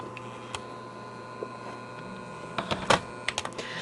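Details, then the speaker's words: 1949 Lionel 2026 steam engine circling the track after motor work, wheels off: even motor hum with a thin whine, broken by irregular clicks and rattles from the running gear, noisy on corners; motor itself healthy. "Hey, you can really hear it on the corners there. Ugh, noisy. But the motor, really good."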